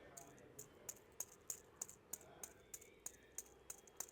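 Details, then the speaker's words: VW Vento old idler belt tensioner pulley removed and spun by hand: regular sharp ticks about three a second from a rough, worn bearing; the new replacement pulley spins silently. "నేను అనుకున్నట్టే అన్న వాళ్ళు అన్నట్టే same ఇదే అయింది చూడండి ఎంత sound వస్తుందో సో ఇది వచ్చేసరికి పాతది"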